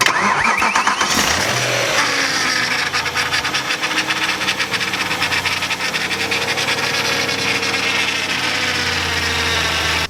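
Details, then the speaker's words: Wrecked BMW M3 rebuild, started with the serpentine belt removed: cranks, catches quickly and settles to a steady even idle without squeal or rattle. The earlier startup noise is gone; power steering pump or its impact-damaged pulley is suspected. "All right, you guys just saw car starts up perfectly fine without that pulley."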